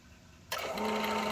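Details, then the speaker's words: Home HVAC condensate pump with a leaking-water complaint: a small motor switches on as the reservoir fills and settles into an even hum, pushing water up the clear tube outside; this is normal cycling. "that should kick on, and notice it pushes up the fluid up this clear tube and outside the house as you hear it moving."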